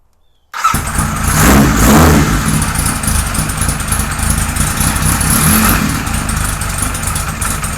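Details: 1978 Kawasaki Z1-R four-cylinder with freshly installed carbs, idle screw cracked up, no choke, fuel just turned back on: fires and revs unevenly, lumpy and burbling with boggy pickup; rich running suspected, not confirmed.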